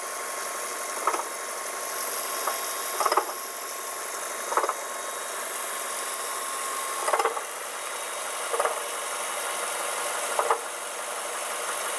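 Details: 2007 Mazda 3, 81k miles, idling: loose irregular knock every couple of seconds that developed over a few days, caused by a worn AC compressor pulley bearing; fixed by swapping in a new pulley/clutch assembly.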